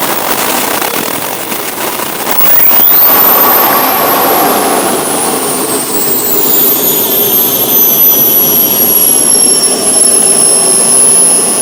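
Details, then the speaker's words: First-ever run-up of the twin turbines in a giant RC F-14 jet: a loud, even roar with a high whine climbing smoothly as they spool up. Temperatures and acceleration were good and auto restart worked. Healthy run-up. "All right, so everything worked out well with the test runs. Temperature-wise, everything was good. Acceleration-wise, everything's good."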